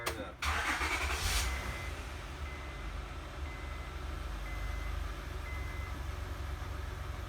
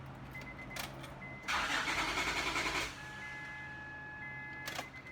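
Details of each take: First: 2005–2010 Honda Odyssey with about 190,000 miles, after fuel pump module replacement for slow starting from a failed fuel pressure regulator; short crank, quick catch, quiet steady idle, good throttle response, no leaks; normal start and idle. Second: Honda Odyssey (2005–2010) with about 190,000 miles, fuel pump working: starter churns for over a second before the engine catches and settles to idle. Long crank because a faulty fuel pressure regulator lets pressure bleed back to the tank.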